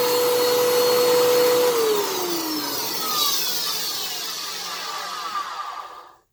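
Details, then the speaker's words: 10 amp vacuum cleaner: very loud, rough roar with a whistling tone sliding down as the motor winds to a stop; sounds harsh, cause unclear. "we'll plug in the ten app1 and see how bad that sounds just so you can see the difference again because the 10:00 a.m. one did not sound very good"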